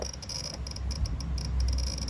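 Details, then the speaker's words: 1983 Honda Magna V65 VF1100C or 1995 Magna 750 during electrical power testing: a fast, irregular relay-like ticking chatter, suspected to be a circuit not getting full power; the cause is unconfirmed. "What are you cycling back here? It sounds like a Geiger counter."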